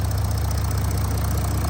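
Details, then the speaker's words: Audi S4 3.0 V6 TDI turbo diesel, S tronic automatic, bonnet open in engine bay at idle: steady even rumble with fast light ticking from the high-pressure direct injectors; normal injector noise from a healthy engine in lovely condition. "basically got direct injection uh from the injectors which is what you can hear that Ticky noise is the high press injectors that Force the diesel into the cylinder and atomize it and give much better combustion"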